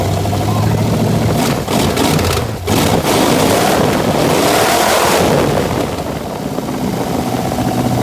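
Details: 1966 Plymouth Barracuda with a rebuilt 1967 273 V8 replacing the seized original, first fire after new points and timing adjustment: cranks, catches and settles into a throaty, slightly lumpy idle that holds steady; engine starting and running normally.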